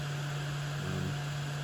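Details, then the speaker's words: Atomstack A5 Pro laser engraver's small air assist fan running with a steady low buzz and faint hiss. Normal air assist fan. "what this little fan here is doing is actually providing an air assist to the laser if you can hear that buzzing right now in the background that's the sound of the fan"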